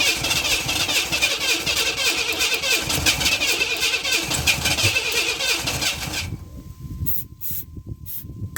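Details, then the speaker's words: 1991 Camaro that suddenly wouldn't start, low compression readings (timing chain suspected), after replacing ignition module and rotor: about six seconds of even cranking with no firing; crank no start, starting fluid and fuel pressure tests next. "Alright, so we've got to hit and fire off some starting fluid. So now we're going to test the fuel pump and see if it's sending up enough pressure."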